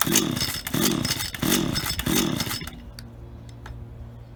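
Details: Auction-bought Stihl HT75 pole saw two-stroke, head cleaned, test run: four quick throttle blips climbing and falling crisply without bogging, then clean shutdown; works perfectly, normal.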